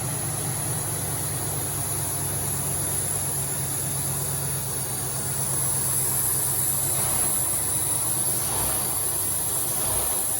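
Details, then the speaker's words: Cadillac Allante V8 petrol engine after repairs idles low and steady with an even rumble and a faint high hiss; it now runs better than ever since purchase, though a vacuum leak is then found. "That sounds exponentially better. This is the best it's ever run since we've got it. It sounds awesome."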